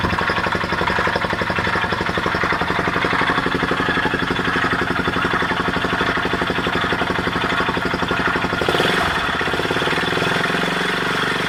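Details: Honda XL250S single-cylinder motorcycle idling with a harsh grinding noise pulsing about four times a second.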